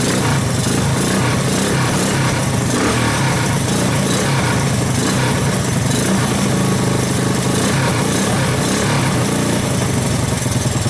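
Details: 1984 Honda ATC 200S single-cylinder ATV after long storage, started with starting fluid through the choke: loud, ragged clatter at fast idle, uneven throughout; rough running, cause unknown.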